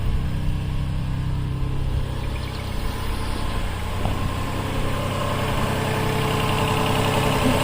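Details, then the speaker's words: 2007 Toyota Highlander Hybrid, ready mode without maintenance mode: engine fires up and settles into a smooth, even low hum with no knocks or ticks, running briefly before stopping; normal idle. "And the motor gonna come on for a little bit, then they're gonna shut off. Now you can hear it, the motor is starting."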